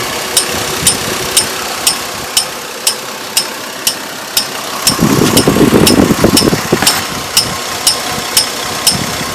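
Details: 2002 Chevrolet Trailblazer giving sharp, even ticks about twice a second over a steady idle. The fan clutch was already replaced without curing it; the owner suspects the water pump, unconfirmed. Ticking at idle, source unknown.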